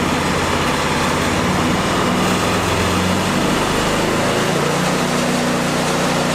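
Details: Ariens Deluxe 30 EFI snowblower running at medium throttle just after being tipped on its nose and starting instantly. A steady, even pace with no misses or surging; normal running.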